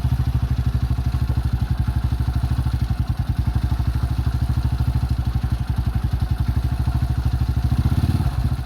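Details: 2005 Honda CRF150F single, repaired by valve adjustment and carburetor tune-up after a no-start, at a settled idle during carb adjustment: an even, steady low thumping with no misses or knocks. Running healthy.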